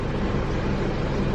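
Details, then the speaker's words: Isuzu D-Max diesel tow vehicle after a DIY service, idling with the air conditioning on so a bit noisier than normal: steady, even low clatter with no knocks or misses and a slight extra load hum; normal idle. "And yeah, the aircon's on at the moment, so it's a bit noisier than normal, but she's quite nice and smooth."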